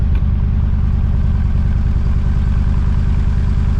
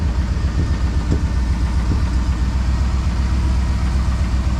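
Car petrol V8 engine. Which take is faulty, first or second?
second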